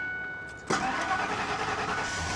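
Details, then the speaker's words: Truck, possibly a 4.6 V8, at salvage auction, 322,000 miles: cranks a moment, reluctantly catches with a bark, then ragged uneven idle; misfiring with check engine light on, oil gauge showing no oil pressure (possibly faulty sending unit). "there we go there she goes she didn't want to fire up but now she did so make sure the Hood's pop she's misfiring check engine light is on"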